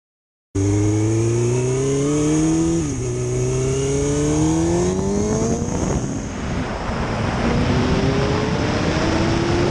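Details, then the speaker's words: 2005 Suzuki GSX-R 750 after transmission repair replacing worn sixth gear parts: clean engine note climbing smoothly through revs, brief shift dip, pulling again; sixth no longer slips; normal acceleration. "no more sleeping in sixth gear she rips still gotta be patient but so far so good"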